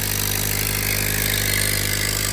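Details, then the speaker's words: Crash-damaged 2025 Honda Accord on first start after rebuild: very loud, steady idle with a harsh hiss and no clear rhythm; a leak, possibly in the exhaust, is suspected, with air felt pushing out. "You guys can hear, it sounds very loud. Very, very loud. As if there's like a leak somewhere, like like an exhaust leak or something somewhere from the inside or from underneath."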